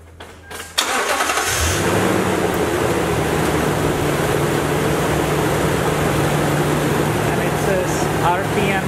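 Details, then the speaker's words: Truck with barely two-year-old battery (12.4 V, 680 A, tested good) started during a battery analyzer cranking test: short brisk crank catches within a second and settles into steady even running; tester reports cranking normal. "And it says cranking was normal, so I guess I will go again and push that OK."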